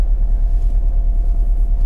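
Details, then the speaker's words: Cheap BMW Z4 convertible, engine light flashing: deep idle with irregular, jerky pulses, bad misfire shaking the car all over; owner hopes it is just a coil pack. "i would hope then that that's just a coil pack but that's terrible shaking all over the place like being on a booking bronco"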